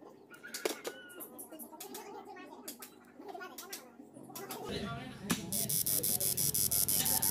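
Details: Yamaha Mio J fuel injector on a pulse tester: crisp, evenly spaced clicking under a steady hiss as the injector opens and closes cleanly on each pulse, a normal-sounding injector compared with a faulty one that sprays continuously.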